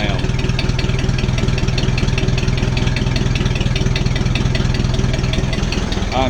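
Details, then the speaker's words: Ford 600-series (640) tractor, abandoned a decade, after new intake/exhaust manifold and vertical exhaust installed: steady, even low thumping about four beats a second, no knocks or misses; engine runs healthy and smooth. "glad to hear that that is absolutely lovely"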